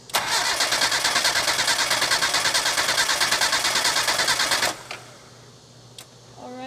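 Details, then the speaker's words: Mazda Miata cranking about four seconds with cam angle sensor unplugged during a compression test, steady even starter cranking, cylinder reading about 120–125 psi, matching the others; normal cranking with even compression. "so it looks like we're reading just over 120 probably like 125. so that one's the same"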